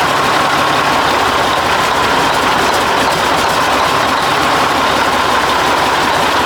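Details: 1980 Mack FR700 diesel truck idling after restart, following an oil leak fix and first start in 10+ years: steady, even rumble with no knocks or misses, settling down healthy.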